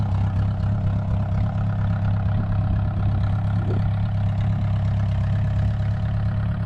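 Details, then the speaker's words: VW 1.9 mechanical SDI diesel in a homemade mini loader, first start after build, not fully cold (stored in garage): steady low diesel clatter at even idle, no misses or hunting; normal healthy diesel idle. "First start, it's not really cold. It was in the garage. Let's see."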